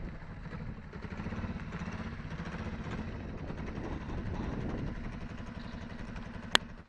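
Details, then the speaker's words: Kawasaki ER-5 twin after failed repair: steady even beat at low revs, no clean climb; owner reports it idles properly but won't run at high rpm, black smoke, running rich, bogs more with added fuel; timing, spark and crank woodruff key checked, unresolved. "The bike runs properly at the idle, but at the high RPMs it doesn't run. It's black smoking, and it's running rage because if you try and add a little bit of fuel inside the carburetors, it will bog down even more."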